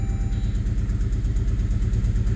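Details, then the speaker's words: Saab 9-3 Aero, after ATF soak in cylinders and water-mist steam cleaning through the intake: even, steady low idle with all four cylinders firing, compression apparently restored, almost no smoke. "oh almost no smoke now see how it starts up now that's interesting now it sounds like as a compression all four"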